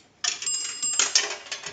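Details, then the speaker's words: Northern Electric 233QF three-slot payphone after repair and conversion, cash box reinstalled; a dime drops and rings the bell twice, two bright strikes then fading shimmer, correct coin signal. "we're going to use a dime that's going to ring the bell two times"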